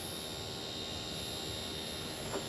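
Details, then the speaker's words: Mercury 2.5L EFI outboard with a hot-soak no-start, VST heated with a heat gun, key on without cranking: a steady thin electric hum under the hiss as the fuel pump primes normally. "now turn the key on. I want to hear see if I hear the pump run."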